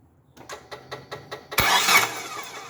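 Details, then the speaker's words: Car with distributorless engine that would not start all day, towed in: starter churns evenly about five beats a second then a brief rough rush with no idle; damaged TDC/cam position sensor connector; crank no start. "Pop Hai teether cop eh jadi tidak bisa nggak bisa hidup Hai walaupun starter berapa kali tidak bisa hidup"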